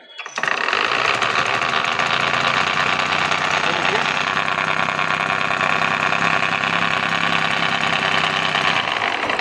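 Steady idle with a fine, fast metallic rattle riding over the engine note: worn clutch teeth chattering.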